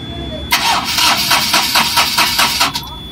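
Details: Ashok Leyland Dost BS4 diesel with Bosch EDC17 ECU: starter cranks at about four compressions a second for two seconds and never catches. The rail pressure sensor signal stays at 0.5 V instead of rising toward 0.9 V while cranking; no start from no rail pressure.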